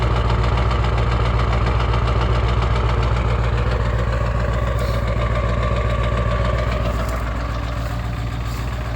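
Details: 1996 Ford 7.3 Powerstroke diesel, 292k miles, cold start at 18°F: heavy uneven clatter and lots of smoke at every start below 40°F until warm or driven; owner suspects misfire or bad injectors; 1600 miles on new o-rings and cups; quiet, no knock, idles fine when warm.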